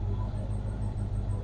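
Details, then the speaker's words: 1967 Chevy Bel Air wagon, sat 30+ years, warm after thermostat opened, rear jacked up and in gear with wheels turning, clutch faulty: low, even idle rumble, no knocks or misses; engine healthy. "the transmission does engage and this engine is still sitting here burning like a kitten"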